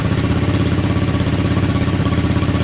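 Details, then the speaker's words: 1984 Honda ATC200S single-cylinder engine, still cold after a cold start, recoil starter repaired; loud, steady even thump at idle, no misses or knocks, no smoke; normal cold idle. "Boy, she sounds good. I got no smoke. I mean, nothing. Yeah, this was, obviously it's a cold start. Still cold, obviously."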